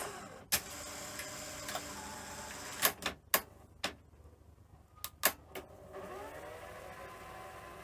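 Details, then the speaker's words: Sony SL-C20UB Betamax after reel motor repair and belt tensioner work: mechanism clicks and clunks, then smooth even whirr as reels spin up; fast forward and rewind run cleanly without drag. "So, I haven't actually tried fast forward and rewind cuz of course we had the real motor issue, but that is actually uh fine."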